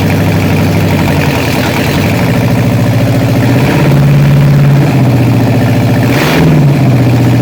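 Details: Freshly rebuilt Ford 302 V8 first start on run stand, for 1966 Bronco: lumpy uneven beat with wandering pitch; dead cylinders from carburetor fault; a lifter tick later traced to a bad lifter.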